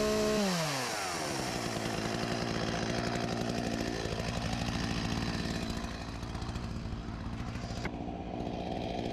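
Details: Husqvarna 254 G chainsaw (1989), after carb refurbished and fuel line replaced: revs drop from a blip into steady, even idle with no hunting or stalling; runs clean, idle slightly high, near clutch engagement.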